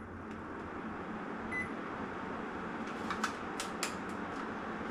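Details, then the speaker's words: Split indoor AC unit after fan motor bearing replacement and cleaning, powered on with cover and louvers refitted; smooth even airflow hiss, a few light louver clicks, no rough bearing whir; bearing noise gone, normal indoor fan running. "I can hear already it sounds so much better the bearing noise is gone. So it's a success."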